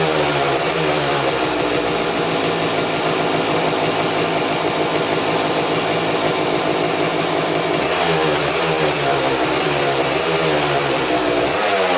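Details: 2000 Suzuki RM250 two-stroke (249cc), unrun two years, fresh premix fuel, cleaned carb, good compression: very loud raspy crackle with sharp blare on each throttle blip; big split in the expansion chamber leaking exhaust, basically straight-piped, needs welding.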